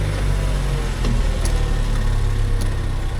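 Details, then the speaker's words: Land Rover Discovery Sport 2.0 Ingenium bought at auction, just started: steady, even low idle with no timing chain rattle. Some coolant is visible around a suspected leaking water pump. Normal idle. "Alright, no chain noise, which is always a blessing."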